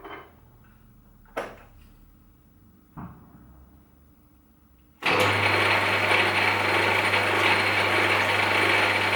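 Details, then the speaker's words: Myford Super 7B lathe after broken back gear repair, headstock rebuilt: a few light clicks, then steady, even straight-cut gear whine and low hum in back gear at 130 rpm, highest back gear speed; running normally. "This is the lathe in back gear at 130 revolutions, which is the highest back gear speed."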